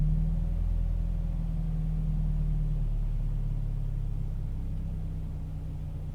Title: Toyota 86 rough idle